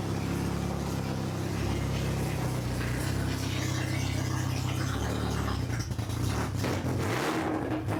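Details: Honda H22 swapped into a Civic on a FuelTech FT450 ECU, just after first start with no exhaust: loud raw rumble, slightly wandering idle, brief blip near the end. Runs fine, just very loud; idle to be adjusted later.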